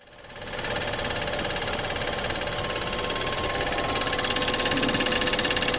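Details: BMW 320i F30 at startup: sharp fast regular ticking about three or four a second over idle; high-pressure fuel pump suspected, source unconfirmed.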